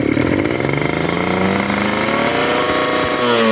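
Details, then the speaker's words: Two-stroke motorcycle with a rich carburettor setting: uneven, wet, heavy burbling and stuttering as revs climb on the throttle; rich mixture that wastes fuel. "Nah, itu basah ya. Bisa teman-teman dengar. Nih, berat. Berebet ya."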